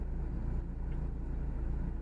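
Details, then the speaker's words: Chevrolet Aveo after repair of fluctuating idle: smooth low hum holding steady at 785 rpm without variation, no misses or ticking; normal idle. "இங்கே பாருங்கள், அதான் first ஏறி 785 RPM, கொஞ்சமாக very ஆகலை."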